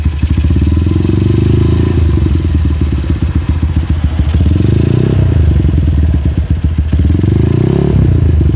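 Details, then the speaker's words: Hot Honda GL single-cylinder motorcycle with open exhaust: revs up, then falls back slowly instead of snapping to idle after throttle release, clatter underneath; slow return to idle with knocking when hot, cause not yet determined. "Oke bisa kita lihat ketika kita gas kemudian kita lepaskan gasnya itu turunnya lambat nggak langsung habis nggak ngeng baru habis ngeng baru habis itu ketika mesin panas ya"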